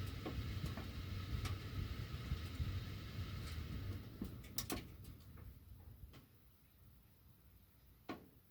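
Quiet, irregular sharp ticks every second or so over a low airflow rumble, thinning out later; the ducts are ticking with the heat on, cause unclear.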